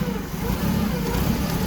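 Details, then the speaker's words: Clark forklift with Hyundai 2.4 Theta engine, hard to start and hesitating under load, previously had a part replaced: uneven, lumpy low idle stumbling and surging instead of settling; running rough, cause not yet found, check engine light on. "problem is it's rough when it's running let me start it up sometimes it's hard to start"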